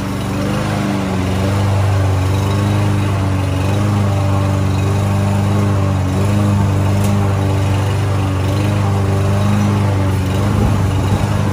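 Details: Land boy lawn mower, sat unused almost a year and wouldn't start, after cheap bottled-additive fix: steady even single-cylinder drone holding speed while cutting grass, no misses or surging; running normally under load.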